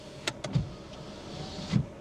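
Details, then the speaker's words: Used Mercedes A-Class, cabin: switch click, then low motor hum as the rear power window travels and thuds to a stop; it works, unlike the front window with broken regulator. "What about the rear? Huh? That actually works."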